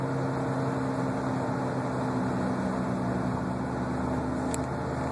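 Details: Front left wheel bearing suspected: steady roar from about 40 mph and up, unchanged when RPM drops so tied to wheel rotation, also noisy with wheel lifted off ground. Roaring while driving, cause unconfirmed.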